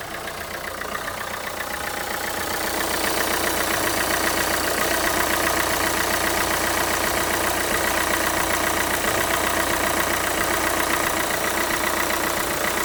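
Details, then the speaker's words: Renault Kangoo 2 1.5 dCi diesel at warm idle after replacing the alternator overrunning clutch pulley, alternator bearings fine: even clatter with no jerks, clicks or metallic bearing-like tapping. Normal idle. "Давайте перевіримо. Все працює. Тишина. Цих ривків, щелчків нема."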